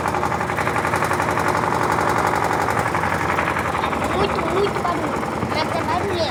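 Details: LT13B washing machine in a suspension test, spin cycle: rapid loud rhythmic thumping, about three a second, as the drum spins; the owner calls the suspension noise very annoying; banging during spin.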